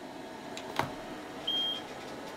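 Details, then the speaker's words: A single short high beep from a chip tester flagging a fail on a chip removed from the Atari Star Wars CPU-to-sound-board interface, with a line stuck high; the chip is dead and is being replaced. "that's basically saying it's failing it's got a line stuck low and a line stuck high so that's dead"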